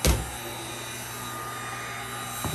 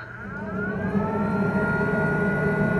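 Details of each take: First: Snapmaker 2.0 3D printer power module: small rear cooling fan running loud, steady airy whoosh with thin high whine. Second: Snapmaker 2.0 filtration system fan tested at low, medium and high speeds: steady airy rush with clear whine climbing as it spins up then holding even; loud by design. Normal filtration fan running at speed.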